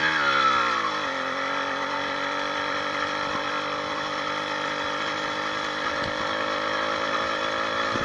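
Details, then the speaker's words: 80cc two-stroke motorized bicycle riding after a new needle-bearing wrist pin kit, new piston and unbroken-in rings. A short rev drops to a steady cruise; the former top-end ping-ping sound is gone. Healthy running. "we'll just go for a little drive i don't even hear that top that ping ping ping ping ping sound with this new bearing in there"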